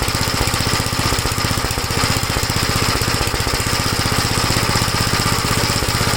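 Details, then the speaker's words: 1956 Gravely L single-cylinder engine after head gasket replacement and valve inspection: a fast, steady chug with sharp pops mixed into the beat. It no longer stalls dropping from high speed to idle, but the popping is not cured. "Well, it's a little better. It doesn't stall out when you bring it from high speed to idle. Still popping, you can hear it, but at least it's not stalling."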